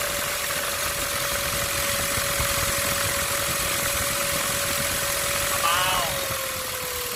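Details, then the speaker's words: Ford Ranger T6 2.2 diesel, engine just started and idling: turbo whines immediately with a steady high whistle; variable-geometry actuator motor also not working; turbo later replaced with rebuilt modified unit (new center housing, shaft, billet compressor wheel, turbine wheel, high-speed balanced). "มีอะเล่นเครื่องจะได้ยินเสียงเทอร์โบหอนขึ้นมาทันทีเลยอ่ะ"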